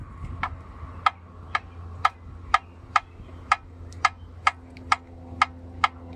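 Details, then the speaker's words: 1989 Jeep Cherokee XJ 4.0L I6 with AW4 automatic, quiet when first started but noisy after driving: sharp metallic clicks, about two a second, as the cracked flexplate is rocked back and forth by hand. "all I'm doing is pushing forward and backwards just the slightest bit so I guess the metal is cracked and it just clicks"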